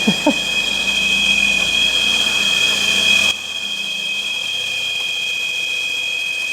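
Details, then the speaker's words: Citroen CX GTi at first start after head gasket repair and valve clearance adjustment: two steady high whines over the idle, then a sharp cut-off. The owner wondered if it was the fan or hydraulic pump; it is the generator, no issue. "That's the generator. It's the generator. No issues there."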